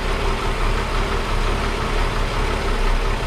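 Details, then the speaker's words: 1961 Ford Falcon Delivery idling after exhaust repair and oil change: deep, steady low rumble with a gentle lope, now free of exhaust leaks; sounds much better but still needs a carburetor kit, vacuum tuning and timing. "yeah that sounds a heck of a lot better it still needs some tuning we're going to do the car car kit on it"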